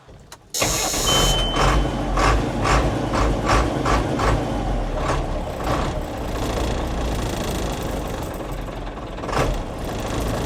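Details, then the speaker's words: 1987 Ford F800 diesel dump truck, five-speed two-speed rear, after fuel system work including draining water and rust from the fuel/water separator filter: brief crank, catches quickly, steady even idle with no misses or knocks; normal start and idle. "Well, it seems to run all right."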